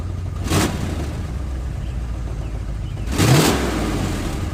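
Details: 1990 Ford F250 idling lumpy and uneven with loud raw exhaust bursts on each blip, shaky exhaust; sounds terrible mainly because the two EGR pipes into the catalytic converter are cut; rough idle.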